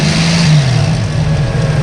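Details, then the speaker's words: 1963 Chevy Nova after resetting and raising the idle: engine revs up and settles with a smooth, steady note, no misses or stumbles, running healthy. "oh listen to that thing it sounds good"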